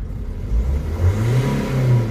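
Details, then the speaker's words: 2003 Nissan 1.9 diesel, previously crank-no-start with flashing engine light, now starting: revving climbs in pitch but sags and surges instead of revving cleanly; EGR valve suspected sticking. "we've still got issues it will start as you've seen but when I rev it up it's struggling"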